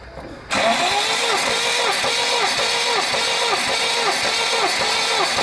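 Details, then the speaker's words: New 1.8 L naturally aspirated engine on an 11 block, crank machined and new bearings, with unexplained knocking; compression-test cranking on a weak battery, at about two even strokes a second; cylinder 1 reads 12, normal compression. "хватит компрессия 12 с по первый цилиндр есть"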